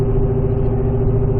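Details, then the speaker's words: Car at highway speed, above 60 mph and heading for a sustained 70 mph: a steady low howl over road rumble from a failing wheel bearing. The bearing is being located by measuring each hub with an infrared thermometer after the drive; both rear hubs read 90F. "I'm doing an experiment to see which one of my wheel bearings is failing you can kind of hear it right now as I get on the gas above 60"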